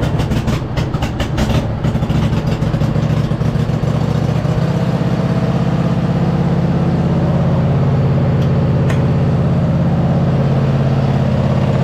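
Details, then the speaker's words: MTD zero-turn mower that sat 3-4 years, after adjusting hydro linkage: a few cranking clicks, then the engine catches into a smooth, even, steady hum with no knocks; engine sounds healthy. "the engine sounds healthy it seems to be running pretty decent"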